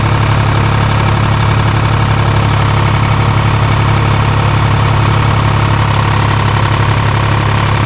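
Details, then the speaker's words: Timberjack skidder with a freshly rebuilt Detroit Diesel 3-53, after the rack was set and injector fingers checked: steady, even diesel idle with regular firing and no knocks or misses; normal idle. "Better. I ain't mad at that. No. Sounds good."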